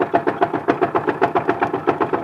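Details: Engine knock at idle: sharp, even knock about seven or eight times a second; owner unsure of source, loudest at one spot on the engine; possibly from below.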